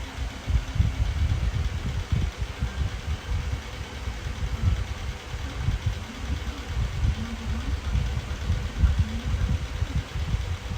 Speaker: I'm gonna run on high speed it is moving here but you can hear the bearings and it sound like junk it's like something's rattling right well nothing's rattling that's just the bearings